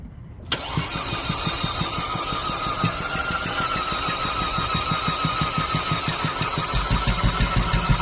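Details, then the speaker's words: 2011 Audi A4 2.0T no-start: even cranking about three pulses a second, sounds hollow, never fires; compression test shows about 30 psi on all cylinders, gasoline smell in oil, cause not pinned down. "Try again. So let me know what you guys think. Get some more sound. Sounds hollow. Yeah, doesn't look like it's gonna work."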